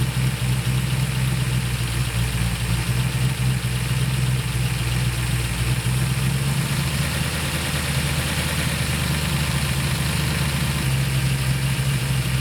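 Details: During a tune-up of the 1968/69 Ford Torino GT 390 FE V8s, a steady, fast V8 idle won't drop even with the idle screw fully out. It pulls vacuum with the throttle closed; the owner suspects the accelerator pedal is holding the throttle. Dwell and timing seem okay.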